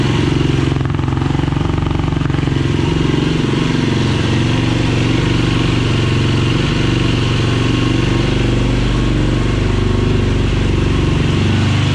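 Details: 2007 Yamaha YFZ450 SE rebuilt engine: steady even four-stroke thump holding a constant idle with no knocks or rattles; runs smoothly, carb bottle leaking. Normal running.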